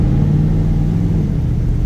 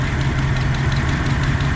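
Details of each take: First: 1994 Dodge Dakota V8 converted to rear-wheel drive, on a shakedown drive after a new oil pump, pickup tube and Wix filter. It gives a deep, steady rumble and pulls smoothly, and the earlier loud top-end tick is gone. An injector 8 problem is suspected. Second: 1994 Dodge Dakota V8 at cold start just after a new oil pump, pickup tube and oil filter: light rapid valvetrain ticking over the idle rumble before oil pressure builds, then easing to a fainter tick.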